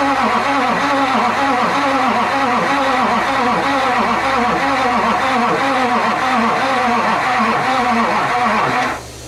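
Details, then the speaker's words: 2005 Chevy 2500HD 6.6 LLY Duramax, first crank after head gasket replacement, starter jumped from underneath on a cold day: slow, dragging, uneven crank at three to four compressions a second; weak Interstate batteries. "Well, definitely sounds like crap, but it'll be fine. They all do that. These interstate green tops are letting me down."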